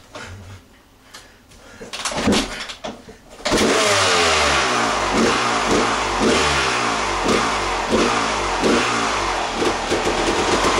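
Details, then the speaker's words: Honda CR250 two-stroke after an oil change and a ride around a field, checked for engine noise: crisp start after a few seconds, clean repeated revs, sharp even exhaust crackle, no knocking; normal running. Earlier noise was later traced to a dryish clutch, fixed with new oil. "I changed the oil on this and I rode it around the field in front of the house and it's not making any noise but I'm going to start it tell me what you think I don't hear anything"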